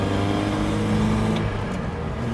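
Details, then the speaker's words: 1972 Datsun 510 wagon after repairs, accelerating hard through first to fourth gear on a drive (owner notes a little engine chatter and possible gearbox issues): steady climbing drone, no knocks or rattles; engine sounds healthy, smooth as silk. "And we're in fourth. Ooh, she's smooth. This thing is smooth as silk so far, and look, no hands."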